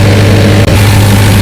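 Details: Cummins 40 kVA diesel generator running: a deep, steady diesel drone with an even low hum and no knocks or surges while the charging alternator holds 14.7 V and the battery charger relay is cut off. Normal healthy running.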